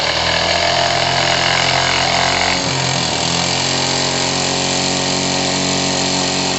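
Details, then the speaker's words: Single-acting twin-cylinder high-speed live-steam engine, greased, at barely 4 bar with steam near 140°C: fast, even chuffing of about four beats a second over a steady hiss, pace rising, strongly pulsing. Normal running. "Alors là, je peux vous dire que ça pulse."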